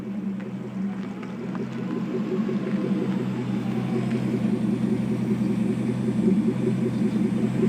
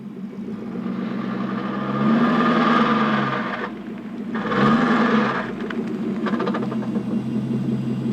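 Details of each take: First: Porsche 928S reversing while warmed up: steady, even engine rumble with no knocks, whine or grinding, normal; the loud ugly reverse noise appears only when cold and was later blamed on a failing transmission. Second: Porsche 928S in reverse when cold, after sitting 4 hours and idling about a minute: fast, rough ratcheting clatter like a roller-coaster chain lift, swelling twice, absent when warm or in forward. Present for 3 months, later said to signal transmission failure.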